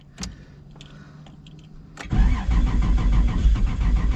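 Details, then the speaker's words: RX7 with 2JZ-GTE VVTi swap, hard-starting, battery getting low after repeated attempts: a click, then labored starter churning at roughly three turns a second without catching, cranking speed sagging; slow cranking from low battery. "come on come on the battery is getting low"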